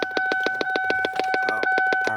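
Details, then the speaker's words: 2002 Lincoln LS V8, key in ignition: relentless rapid popping about seven per second over a steady electronic tone from a large under-dash speaker; unplugging the speaker stops it, cause unknown. "So what I've done is I found the noise. And I pulled all these panels off. I found this speaker. The speaker is actually where the sound is coming from."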